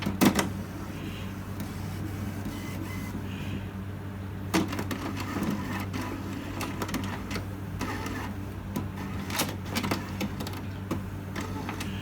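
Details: HP Smart Tank 7001 restarting after its first black ink refill: soft whirring with scattered clicks and short motor runs as the carriage shuffles; normal printhead priming.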